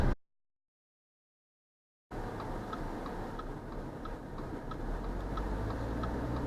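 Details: 2019 Subaru Ascent while driving: intermittent light, somewhat uneven "tock" ticks, about four a second, over steady road noise; cause unknown, owners also report a whirr.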